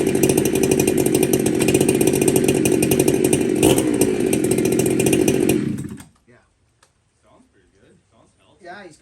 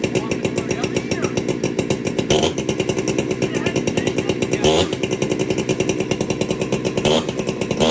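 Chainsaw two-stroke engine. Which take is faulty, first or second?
second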